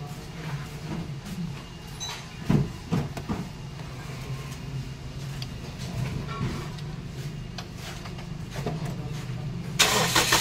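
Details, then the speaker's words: Toyota Vios idling with an irregular slapping, ticking belt noise; the belt is damaged and keeps failing because the replacement compressor pulley doesn't fit it, 4PK converted to 3PK. "so nakita natin ang belt may tasas Bakit may tasas ang belt hindi akma ang compressor pulley So yun ang problema"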